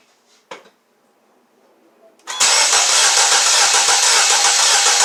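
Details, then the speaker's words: 2012 Mini Cooper with P0304/P0300 codes, cranking in flood-clear mode without firing: quick steady chug about 220 per minute, one beat in four lighter from the pressure drop on cylinder 4; low compression in that cylinder. "so that sound that you heard that drop in pressure was that sealed in the floor right there that's the one i diagnosed"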